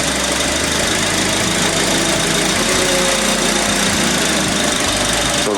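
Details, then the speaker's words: Honda Accord with a new replacement power steering pump, after the previous bad pump squealed: engine running while steering is held at full lock left and right, steady and even with no squeal, whine or bearing noise. "so now you hear the noise working so you're not getting that squealing noise and that baring noise and all that so you looking good YouTube"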